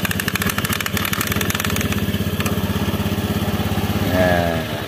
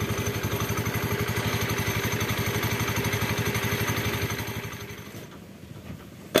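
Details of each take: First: Honda Beat scooter CVT after the loose clutch-lining clamp plate (worn by the retaining clip) was fixed: the rolling rattle is gone, leaving a steady, even idle with only the normal rubbing sound of rubber against the pulley; quiet, healthy CVT. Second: Honda Beat scooter CVT at steady idle with a regular light rattle about four times a second until shutdown: the plate that clamps the clutch linings is worn loose, eroded by the lining lock clip.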